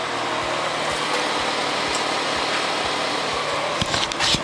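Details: Jake's car after repairing exhaust split by a speedbump with a split flange, rusty studs removed: steady, even running with a light regular pulse, no rasp or blowing leak; exhaust sealed and quiet.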